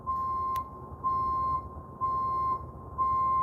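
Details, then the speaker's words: Tow truck reverse alarm: clean beeps about one per second at a steady mid pitch, four even pulses with quiet gaps between them. The alarm is working properly. "the reverse alarm works"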